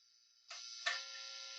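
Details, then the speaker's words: Squier Series Mexican Fender Telecaster, mid-1990s, top-load six-saddle: loud constant thin buzz once amp is on, heavy in bridge position; touching neck pickup, jack plate or control plate stops it, pointing to a grounding issue, likely an ungrounded bridge pickup. "so it's buzzing a lot on the neck or on on the bridge position it's buzzing a lot"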